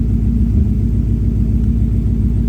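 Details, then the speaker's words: 1965 V8 with P0352 check engine code, still a cold start: deep, even idle rumble with no misses, all 8 cylinders sound like they're firing; normal idle. "It's sounding pretty good. That's actually sounding nice and clean. It is technically still a cold start, but it 100% sounds like all 8 are firing though."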